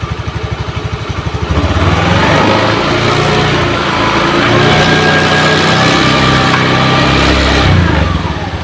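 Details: Honda Beat injection scooter, single cylinder, revved from idle to a steady clean high speed with no misses or rattles while checking that the regulator charges, after a faulty wiring path causing total failure was fixed.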